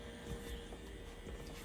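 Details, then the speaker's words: Tattoo machine fitted with InkClaw Phoenix 1.5 grip (barred needles) running: very quiet faint steady hum, no rattle or knocking, very low vibration; running smoothly as it should. "So as you can hear, it's very, very quiet. It's very, very low vibration, in my opinion, from what I've typically experienced."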